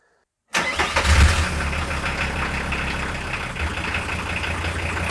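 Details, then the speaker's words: 1993 Volkswagen T4 starter (1.8 kW motor with solenoid) before replacement; a harsh, uneven starter whir with a rough low rumble while cranking. Likely not spinning the engine fast enough; worn starter motor, voltage drop within spec. "before this starter was making some weird noises because probably this one was not putting the enough RPMs necessary for the engine to start easy"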